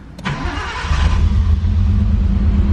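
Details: Nissan Skyline after intercooler upgrade and downpipe, O2 sensor and intake filter fitted, heard from right-hand (driver) side: brief crank, fires at once and settles into a smooth, even idle with no stumble or hunting.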